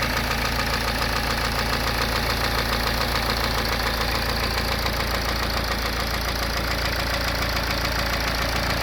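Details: BMW N47 diesel (520d/320d/120d) at idle with steady heavy knock about 105 per minute under the clatter; bottom end gone, worn crank or rod bearings.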